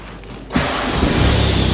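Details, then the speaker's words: Kia Sportage bought at auction with hidden damage: quiet, then it fires up straight away and settles into an even, steady idle with no knocks or ticks; a healthy start. "fires up straight away um yeah there's nothing really"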